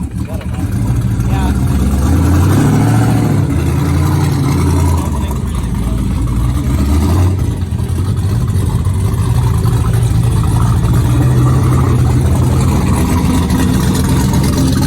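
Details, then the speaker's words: V8 car at idle and revving, after pumps were switched on: deep, fairly regular knocking about four per second that owner says was not there before; engine knock, cause unknown. "yeah i wasn't knocking like that before"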